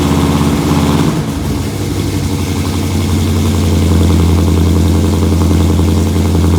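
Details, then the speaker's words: 1968 Mustang Fastback, cammed 460 big block, Holley 750 carb, long-tube headers, 2.5-inch exhaust with Thrush mufflers, new fuel pump and filter: lumpy, steady rhythmic lope holding evenly without stumbling; healthy cammed idle. "second time no problem so I see she's running good now"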